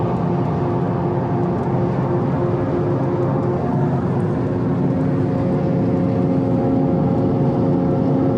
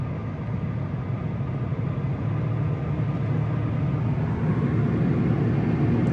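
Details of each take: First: 2013 Subaru BRZ Premium at speed: a steady droning hum with a constant whirring tone over road noise, coming from the left rear. A bad rear wheel hub bearing assembly, later replaced. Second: Steady low road rumble building gently with speed, no droning roar, while driving a 2013 Subaru BRZ after replacing the left rear wheel hub bearing assembly that was roaring; bearing sounds healthy.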